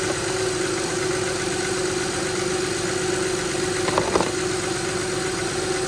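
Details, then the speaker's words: 2006 Honda Pilot 3.5L V6 after new power steering pump, genuine Honda fluid and lock-to-lock bleeding: smooth, even idle with a faint steady hum and no groan or whine. The fluid showed no bubbles and the pump sounds healthy. "do that a couple times and then that should be it you can hear it's quiet [Music] everything working good"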